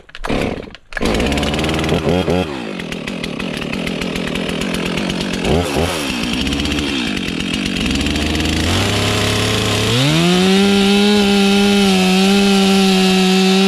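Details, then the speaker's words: Stock chainsaw cutting a Norfolk pine stump, last cut before modifying the saw: two-stroke scream bogs as the chain bites, then climbs to a steady high howl once free; owner says stock saw needs help. "it's one of the last times I'm running a stock saw Goodness Me it needs help so we're gonna fix that"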